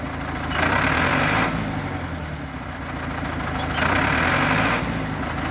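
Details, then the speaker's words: Diesel bulldozer after about 20 minutes pushing down trees, oil pressure and temperature good: idle rises and sags about every three seconds, a rhythmic helicopter-like surge; after sitting 5–10 minutes it runs fine another 10–15; injectors to be tested. "You can hear now. The engine sounds a bit different, and it has kind of like a helicopter sound."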